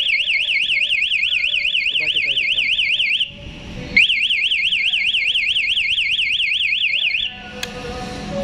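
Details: KTM Duke 200 with newly installed MP one-way alarm; shrill siren warbling up and down about twice a second in three-second bursts with pauses, triggered by switching the ignition on while the alarm is armed.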